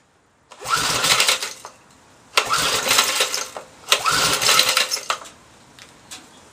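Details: Briggs & Stratton 3.5 hp engine, probably over 10 years old, choke lever just freed: three short sharp bursts on ether, each about a second before stopping dead; owner suspects carburettor blocked by old gas turned syrupy.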